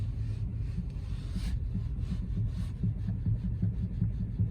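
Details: Hyundai Getz 1.4: dull low knocks in quick bursts near the steering rack when the wheel is turned sharply; no play found at the inner tie rods, owner suspects play in the rack gear mesh, unconfirmed.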